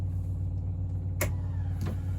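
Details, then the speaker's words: BMW E30 rally car with swapped-in M44 engine, ignition on before first start: steady low electric drone with light clicks, no engine running, as lift pump fills the swirl pot and high pressure pump primes normally. "so ignition on well main power on lift pump that's filling the swell pot"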